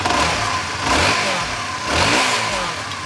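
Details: Honda CBR150R after engine overhaul fixing a broken internal bearing that caused metallic knocking on cold starts and clutch housing noise; two clean revs rise and fall smoothly from idle, no knock or rattle; normal revving.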